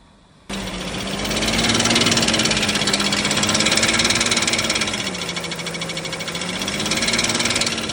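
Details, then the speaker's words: BMW X5 E53 with M54 3.0i engine, cracked flexplate (converter-to-engine drive plate), heard from below on a lift: fast, sharp metallic clatter about 220 per minute over idle, loudest at the bellhousing, duller than a usual flexplate ring; cracked flexplate knock. "Обычно пластина более звонкий какой-то звук издаёт. Здесь он более глухой такой стучочек, кулачочек."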